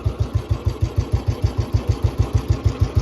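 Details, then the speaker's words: 2008 Royal Enfield Bullet 350 (navy disposal) after tappet adjustment during restoration: clean, even single-cylinder thumps about three per second, tappet noise gone; normal idle. "और टैपटि शोर पूरी तरह से गायब हो गया है। इंजन अंदर कोई नहीं है कोई आवाज़ नहीं, कोई आवाज़ नहीं कोई आवाज नहीं आ रही है।"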